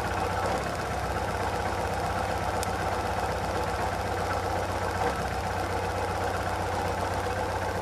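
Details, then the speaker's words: Chevrolet Chevy/Corsa/Tornado engine shaking with occasional cylinder misfire: uneven idle, irregular stumble and faint snapping as spark visibly jumps from deteriorated spark plug wires; fault traced to ignition leads. "con este vehículo el problema es de que tiembla mucho el motor en ocasiones se escucha un fallo de un cilindro y haciendo una inspección visual alcanzaste notar Cómo brinca la chispa"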